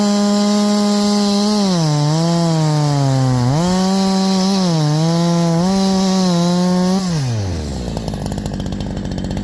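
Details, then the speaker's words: Holzfforma G372 chainsaw (Farmertec clone) after crankshaft seal replacement for a factory air leak that kept it from tuning, OEM carb fitted earlier; 24in bar, cutting hemlock: crisp high-revving scream dips slightly into cut, pulls straight back without bogging, winds down. "I'm going to call that fixed guys I'm going to call that fixed I know I called it fixed last time too"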